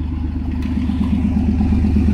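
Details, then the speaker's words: 1992 Chevy S10 Blazer, cold, after replacing plug wires (the #5 wire was bad) that caused a misfire: a steady, smooth, even idle with no skips, plus a rattling catalytic converter leak. Normal idle. "Now it's nice and smooth. It's cold out."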